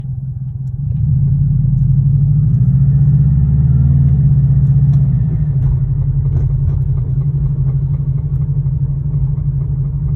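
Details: 2002 Subaru WRX: deep rumbling run with a dull, repeating knock following engine speed through a brief rev; suspected rod knock, unconfirmed.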